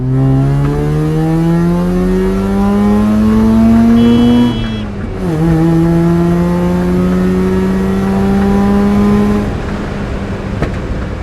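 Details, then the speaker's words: 13B rotary-swapped FB Mazda RX-7 on a drive: smooth rising buzz pulls cleanly, drops at a gear change and climbs again with no misfires; healthy under acceleration. "this is starting to become the boring part of rotary life because the car runs it's good it's fun"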